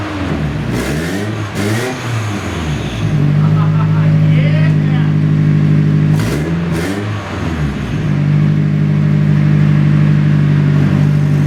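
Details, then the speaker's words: Nissan 240SX started for the first time in 2 years after being rebuilt onto a different chassis, with a temporary heater hose fitted: steady, even idle with clean revs that rise and settle. Loud and raspy in tone but running healthy. "Alright, that thing runs like a sewing machine. A very, very loud, raspy sewing machine."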